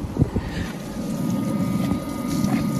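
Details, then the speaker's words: 2014 Audi A8 D4 3.0 TDI after replacing the failed V50 auxiliary coolant pump, with fault codes cleared and the pump run in a test: low steady electric hum with coolant flowing and no grinding, the repair is successful. "you can notice the pump working as should you can hear noise of the water flowing then our fixing is success"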